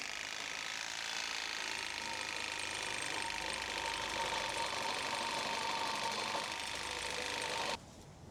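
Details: Saw cutting a pipe under an LLY Duramax truck during a catalytic converter delete (LB7 mid pipe install): steady raspy stroke, about 220 per minute, never bogging under load; the blade skates rather than bites, owner suspects it is dull or missing teeth.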